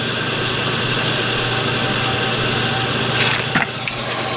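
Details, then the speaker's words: Combustion blower fan on a Napoleon NPS-40 pellet stove, run briefly before replacement: small fan motor with a gritty, rough whir and scraping under the airflow from failing, worn blower motor bearings. "I'll turn it on right quick just so you can hear what it sounds like. Hear the crummy bearings in there."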